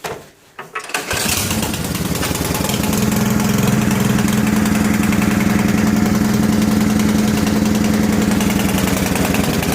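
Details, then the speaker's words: Three-year-old Briggs & Stratton 27-inch medium-duty snowblower, cold start at minus 20 with choke and prime, high-octane gas: catches after a couple pulls, quick even single-cylinder beat, no misses; clean healthy cold start. "as you can see it was pretty much a cold start you don't need this selected start as long as you have everything set up on the machine properly"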